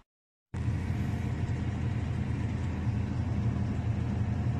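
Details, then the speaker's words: Panasonic top-loading pulsator washing machine that had been reported making a sizzling noise: after a silent start, a smooth low hum holds steady through the spin with no thumps, rattles or scraping; spin cycle now normal. "现在脱水也没问题了。"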